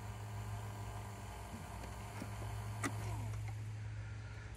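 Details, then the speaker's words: VW New Beetle turbo, engine off: steady low electric buzz from the auxiliary turbo coolant pump running nonstop because the large fan relay that powers it is sticking closed, draining the battery; stops when battery disconnected. "you hear that buzzing okay that is a relay that has not released"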